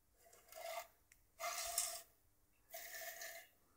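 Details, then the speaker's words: Claude Lyons Regulac RK8-M 8 A Variac, fed from a 15 A Variac, being cranked up from 0 V: three dry rasping scrapes as the knob turns; brush plate rubbing on top of the aluminium housing. "Sounds a little bit rough because of the plate is actually rubbing on the top of the aluminium housing there, I can take that off."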